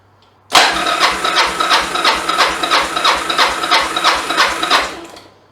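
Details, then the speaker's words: 1996 Yamaha XV750 Virago bobber converted to a single carb: gauge screwed into the spark plug hole while cranking, an even, steady beat with no weak strokes, reading about 160 PSI, which the owner considers healthy compression. "Okay, what's that? About 160 PSI. You can see that there, 160, that's pretty good to me."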